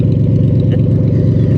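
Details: Cadillac limousine abandoned about 10 years, with a chunk of exhaust cut out: loud, deep, unmuffled blatting at idle with raw firing pulses; exhaust leak.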